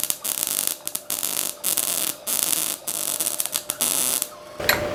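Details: Ramco 120 A MIG welder, current turned up for a longer weld: crackling hissing arc in short runs with brief gaps, no sputtering; clean normal weld.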